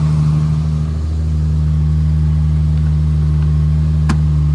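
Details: Nissan 350Z just revived by jump pack after a flat battery: smooth, even low hum with a steady beat, no misses or knocks, one brief click near the end; normal idle.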